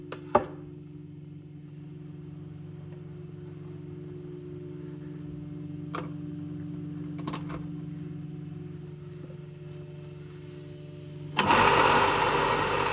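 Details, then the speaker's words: Biltema BDS915 band and disc sander after replacing the faulty magnetic no-volt release switch: steady, even motor hum with no knocks or rattles, louder rush under work; runs smoothly. "Máy chà nhám sẽ khởi động và chạy ổn định."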